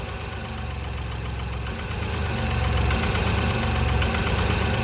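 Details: Kia Carnival 2.7 LPG engine brought in for suspected tappet noise: dull, regular knocking about four per second over the idle, which gets louder when an ignition coil is pulled and refitted in the power-balance test; piston slap from excessive piston-to-cylinder clearance.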